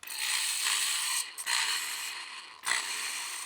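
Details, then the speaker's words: Old drill running a wire wheel to clean metal for seam welding: harsh, gritty grinding that rises and falls with each run, rough and uneven. It had squealed loudly before; worn-out bearings. "I don't think drilling is supposed to sound like that. It was making a really loud squealing sound before, so that is my old drill, which is why I'm using it for this."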